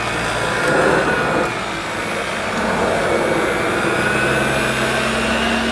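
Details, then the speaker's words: New Dirt Devil Broomy Broom Vac 750 upright (325 W, 50 Hz) with a new belt and bag, pushed over carpet. A steady high motor whir with airflow rush, even and smooth with no rattles or belt squeal, normal running. "the bag the bag blows up nicely let's hope the clean itself doesn't blow up yeah that's pretty good I'll give it a push"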